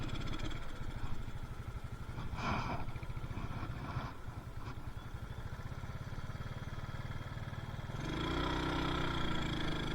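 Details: Carbureted Yamaha Mio Soul that won't rev above half throttle and lacks power; under way it stumbles and surges, about four beats a second, from too much fuel: rich running mixture.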